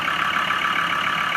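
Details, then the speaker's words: Land Rover Discovery 2 TD5 diesel, feared bottom-end failure, starter needed a hammer tap: even, steady idle with a smooth mid-pitched drone and no ticking or knocking; running sweetly. "All that power. Sounds beautiful, actually. Smooth as you like."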